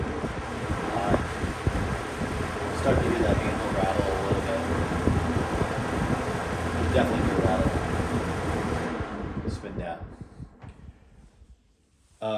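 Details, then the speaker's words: Late-80s/early-90s Toastmaster 20-inch box fan: steady rush with light uneven chatter from the loose carry handle, a type known to rattle, then the blades coast down; handle rattle, can be damped with Post-its or a sock. "the handle on here is really the same handle as the Edison Thin Lights and Comfort fans, and they are known to rattle."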